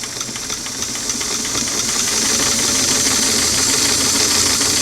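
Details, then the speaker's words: Singer sewing machine on a restored clamshell foot pedal, tested after quarter-turn adjustments with four carbons removed: bright motor whir with rapid stitch ticking climbs smoothly from a slow stitch; speed now controllable and nearly right. "we are making some improvements at least we can go slow when we want okay I'll get back in she's right again now there's a nice slow stitch look at that"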